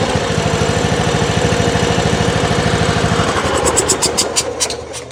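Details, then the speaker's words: John Deere riding mower, Kohler Command engine on cheap aftermarket carburetor: runs fast and steady, then speed hunts up and down at high throttle; slight surging, owner suspects jet size, jet not removable. "Surging a little bit there at the higher speed. Might could open that jet up or something."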